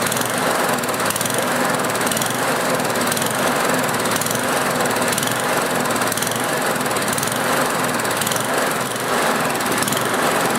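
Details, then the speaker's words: Small single-cylinder Tecumseh engine surging, its speed hunting up and down even after the carb was cleaned; the usual cause is the carburetor, and the fix is replacing the air jet (part 640016, sometimes 640027). "The usual cause of an engine surging like this one is that there's a problem with the carburetor."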